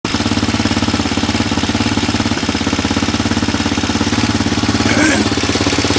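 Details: Roketa 60 ATV small engine idling with a steady, fast tapping riding on the exhaust beat; owner chasing a knock; engine tapping noise.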